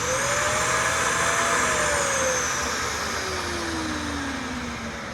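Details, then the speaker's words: Dyson DC41 Animal vacuum, a curb find that had sat outside: loud rushing roar with a whistling tone that climbs then sags, from choked airflow. The hose is found clogged. "well sounds like it might be a little clogged"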